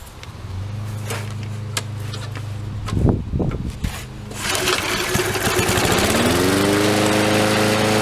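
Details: Murray lawnmower with new spark plug, fresh oil and gas, primed three or four times: a couple of pulls, catches, revs up and settles into steady even drone without surging; normal running.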